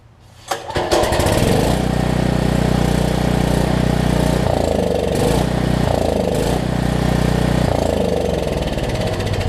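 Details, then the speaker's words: Troy Bilt generator with no spark, after fixing the low oil sensor module fault, sprayed into carb throat with switch on: catches within a second and runs with slightly surging buzz; ignition now working. "so the first thing i'm going to do is spray into the carb throat with the switch on and see if it'll fire"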